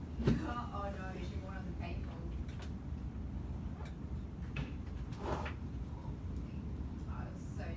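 Muffled voice-like playback sits on a heavy, rattling low buzz, the sound of a failing laptop speaker.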